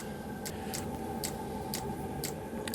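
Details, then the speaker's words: 12V diesel heater with a 24V dosing pump bodged to work on it, after self-check: sharp even ticks about twice a second over the heater's steady hum as it fires up; dosing pump pulsing normally. "it's going from self-checking to well the pump the pump is now bumping you can hear the pump pumping bumpers pumping"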